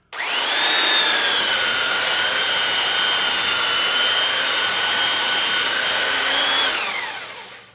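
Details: Belt sander with new stainless steel platen, sanding a clamped 2x4: high steady whine and even rushing hiss holding level through the cut, then smooth wind-down; healthy under load, platen only warm afterward.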